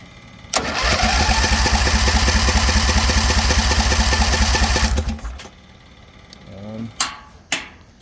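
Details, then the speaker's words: Scrap-metal V-twin rat rod go-kart on its own fuel tank with electric fuel pump: about four seconds cranking, roughly 3.5 chugs/s, never catches, stops dead; carburetor float needle stuck off float, no fuel entering: crank no start, fuel starvation. "I actually went in the carburetor and cleaned it a bit, and I found out that the needle was off of the floats. So I wasn't, even though that I was pulling gas here, I wasn't getting gas in because the needle was stuck in and it was off the float."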